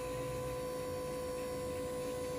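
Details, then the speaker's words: Camper's water pump runs with a steady low electric hum, fixed tone, no stutter, while a service valve is open purging air before water splutters through; normal pump running. "can hear the pump on, so it should start spluttering in a moment, and then we've got water coming through."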